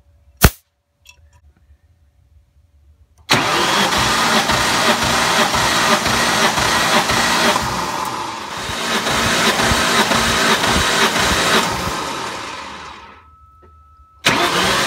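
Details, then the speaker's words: 2003 Ford Mustang SVT Cobra (Terminator), 140,000 miles, 8.5:1 compression, all plugs out, compression test: steady, even cranking about ten seconds with no uneven beats; cylinder reads just under 150 psi, normal and healthy. "we'll crank it a few more times here so just shy of 150 which is pretty normal for these cobras"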